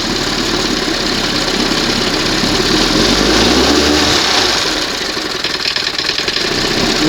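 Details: 1971 Johnson 20 hp two-stroke outboard after throttle linkage slop fix, warm, in test water: rough uneven idle turned fully down sags and nearly dies, then recovers; throttle butterfly position slightly off, leaning improves idle.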